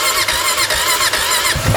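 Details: 2004 Honda Foreman Rubicon ATV that won't shift: a high, squealing, labouring crank for about a second and a half, then it catches. Slow cranking; owner suspects a weak battery, not confirmed.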